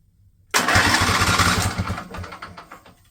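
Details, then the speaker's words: Husqvarna mower with Briggs & Stratton Intek engine, over 900 hours, cranked with plugs and fuel line disconnected: brisk, even cranking about three turns a second, strong starter whirr, no firing; starter spins engine properly, normal cranking. "just noise working so that's good okay this should still work fine"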